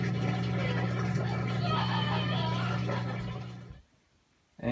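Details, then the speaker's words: LG washing machine that would not drain, after drain pump replacement (part 4681EA2001T; old impeller loose), rinse-and-spin test: steady low motor hum without rattle or scraping, then a clean shutoff; the new drain pump runs normally. "looks like it drained everything out got a little bit of soap residue there looking good"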